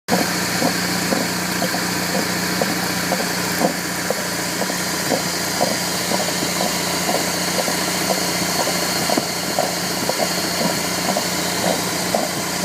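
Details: 1998 BMW E46 318i (AL19, M43B19 engine): dull rhythmic knock about twice a second at idle over steady hum; replacing belt tensioner and tension roller did not fix it; source near the pulleys suspected, unidentified.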